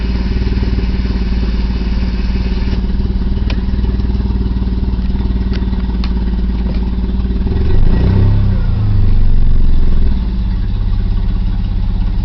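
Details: 1990 BMW E34 520i, M20B20 with LPG/petrol conversion, cold, on petrol: hard starting and low lumpy stumbling idle with a brief rev blip; owner suspects failing fuel pump.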